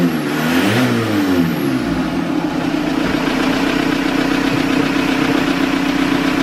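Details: VW TDI diesel in a Toyota pickup, after diesel purge of injection pump and injectors, lift pump relay refitted: short crank, quick catch, steady even diesel clatter at idle, no hunting; normal start and idle.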